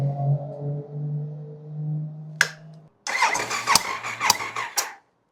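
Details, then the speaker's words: Triumph Sprint 955 motorcycle, compression test after replacing valve shims (cylinders 1 and 2 previously low): starter cranks with an even, regular rhythm and no dropping beat, then clatters as it stops; compression now balanced. "So we are bang on. So that was the compression test after doing valve shims."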